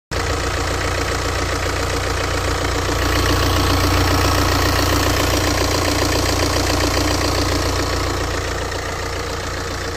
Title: BMW 218d Active Tourer f45 Normal sound of timing chain or bad?